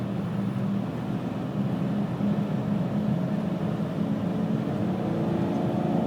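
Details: 2000 Pontiac Grand Am GT, low droning hum and vibration at cruising speed, worst from about 35–40 mph, sometimes felt underfoot; persists after hub bearings replaced twice, driver-side CV joint, new pads, rotors and calipers, and tire rotation; source unknown.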